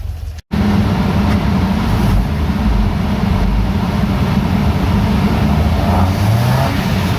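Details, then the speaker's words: VW Mk2 Golf GTI 1.8 16-valve with bike carb conversion, 140 main jets, warmed up on rolling-road dyno: loud steady deep full-throttle roar, no misfire; healthy, making 151 hp, about 11–12 bhp gain. "so there we have it 150 well 151 horsepower from the 1.8 16 valve nice result"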